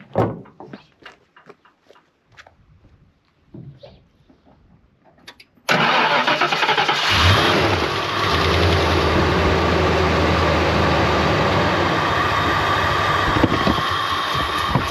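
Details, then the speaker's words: 1992 Ford Mustang LX 5.0 V8, parked for years, started with brake clean sprayed into the intake: handling clatter, then fires quickly and settles into a steady, even idle with no misses or knocks, purring like a kitten; normal start. "Car purrs like a kitten. Really does."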